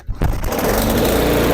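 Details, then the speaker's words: Small mower engine just started after the fuel line was lengthened, with the fuel switch on, primed and its plastic key missing. It catches but sputters, running unevenly with a stumbling, surging beat; cause unclear. "it's still sputtering. Let's turn this a little bit, because I don't want it to be sputtering."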